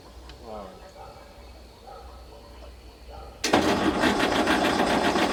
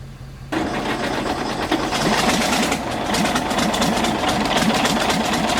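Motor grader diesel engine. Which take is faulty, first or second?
first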